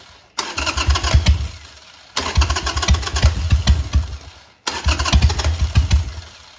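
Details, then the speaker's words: Harley Sportster 883 after jetting the carburetor on the bike, vacuum petcock on, no choke: three short starter cranking bursts, engine turning over steadily without firing, bumped to draw fuel in. "No choke, just gonna bump the starter and see if it'll suck a little fuel in there."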